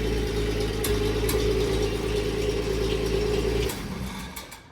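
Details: Engine after exhaust fix and new spark plugs replacing very old ones, radiator and alternator not hooked up: even, steady mid-pitched hum with no stumbling before winding down; smooth idle.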